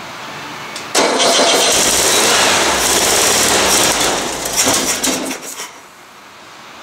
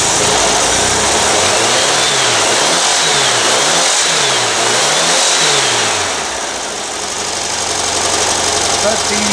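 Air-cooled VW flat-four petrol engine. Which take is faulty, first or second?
second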